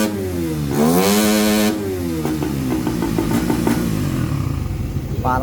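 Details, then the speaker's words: Motorcycle that would not start, traced through spark, fuel and compression to corrosion (rust); after the repair it revs up smoothly and settles back to an even idle with no misfire or stumble: running clean. "Ayan all good na. Kita niyo yan yung mga pinaginalaan nating isa-isa."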